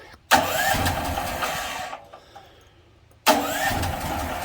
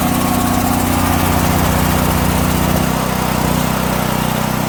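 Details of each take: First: DuroMax portable house generator, unloaded, LP gas noted, pulled on choke then without choke: it catches, runs roughly about 1.5 seconds and dies, and the next pull does the same. The fuel valve was later found off. Cause not confirmed. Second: DuroMax portable house generator on gasoline, fuel valve opened, idle controller on: loud, steady run settling to a lower even speed with no misses, not yet warm; normal running, so the no-start is on the propane side.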